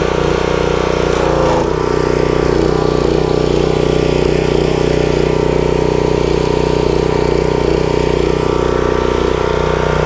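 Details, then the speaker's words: Pressure washer small engine after an oil change and pump saver treatment: cranked first try, steady even drone at constant speed with no knocks or misses; running smoothly, oil okay. "okay so it cranked up first try also it sounds pretty good so i know my oil is okay"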